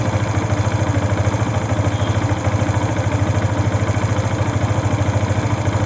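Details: Yamaha FZ V2 engine noise problem: steady single-cylinder idle with an even pulse around three per second and a faint clatter on top; cause unclear.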